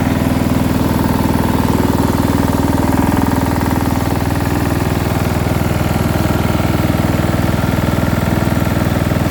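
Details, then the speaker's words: Small single-cylinder engine from quick build, with muffler, meant for a Murray project if no knock: quick regular chug at idle with faint low rattle underneath, no heavy knock; cause unclear. "is a bit of a low end rattle but it doesn't necessarily sound like a knock"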